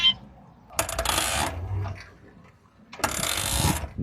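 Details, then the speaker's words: New electric cargo tricycle, about 10 days old, pulling away under load: two harsh grinding, ratcheting bursts that grow with heavier cargo. Wheels, half-shafts, brakes and bearings were checked and the motor replaced with no change, leaving the differential as the remaining suspect. "声音还是和原来一模一样，只剩这个差速包了。"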